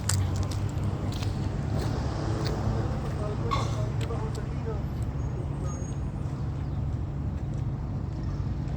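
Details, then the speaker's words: Ram SRT10 Viper-engined V10 truck, cold start at about 12-13°C before a header temperature check; deep steady even rumble with no stumble or misfire, firing on all cylinders, spark plugs previously read fine. "Alrighty, we're going to do a cold start and a header temperature check on the SRT10 Ram. See what she sounds like cold."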